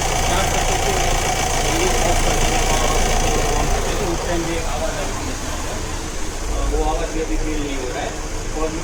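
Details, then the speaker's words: 2015 Honda Amaze diesel after engine mounting replacement (old mount bracket was striking, causing vibration); steady even diesel clatter at idle, no thumps or shudder, no noise or vibration in forward direction: normal running. "अब इस आगे की दिशा में न तो कोई शोर है और न ही कोई कंपन महसूस हो रहा है।"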